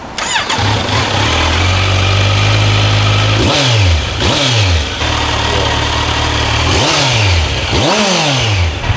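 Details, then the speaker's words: Stock Kawasaki Z900 motorcycle, new, freshly bought, revved in four quick even blips from smooth idle with a light whine; normal healthy engine revving, owner notes the stock whining sound. "I don't know if you guys have c900s hit down in the comments below let me know if it put something like that stock because that sounds like a whining right"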